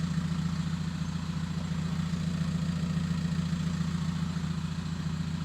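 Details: VW T5 Transporter diesel van with a home-made stainless exhaust: steady, even idle with a smooth low exhaust burble, no knocks or rattles; no turbo whistle heard, owner thinks the VNT needs adjusting.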